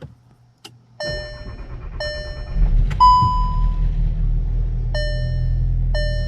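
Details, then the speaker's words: VW 1.5 EA211 first start after head gasket replacement and timing adjustment: quick crank, catches at once and settles into a smooth, steady idle under dash warning chimes from the battery having been disconnected; normal start and idle. "but that sounds like it's running perfect so that's uh that's how you do the procedure"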